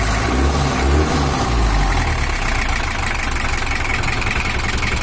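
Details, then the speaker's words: Toyota Hiace LH11 diesel after repair for rough running and overheating, with a larger fan fitted: settles into a steady, even idle after a brief rev, no knocks or misses; expected to smooth further once bedded in; normal idle. "ini udah selesai baru suaranya usah kembali normal Karena untuk sepuran nya masih belum rata seutuhnya Nanti kalau udah rata seutuhnya baru suaranya bisa rapat enak dan lending"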